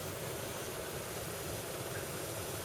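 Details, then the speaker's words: 2012 BMW X5 E70 with 106,080 miles: the HVAC blower runs on low as a steady, soft, whisper-quiet whir with no chirp. Before, it chirped at low speed; both motor bearings were re-lubricated with 30W oil. "have it reinstalled yet and it is whisper quiet"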